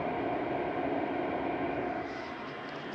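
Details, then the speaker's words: Modified IQAir Compact air purifier, seized original motor replaced with an inline centrifugal fan, running at full power after repair: steady, even rush of air with no rattle, rub or pitch wobble; healthy. "there you have it the modified iq air with my fan"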